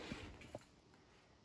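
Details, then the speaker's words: GE front-load washer after replacing the door lock switch: a short quiet click, then a faint second click as the new lock catches cleanly when the washer starts. Working normally. "And let's see, when it makes that sound, that means it's working because this is catching. So you see, brand new. Closes, catches, and then you can start it up. That's when that door lock hits."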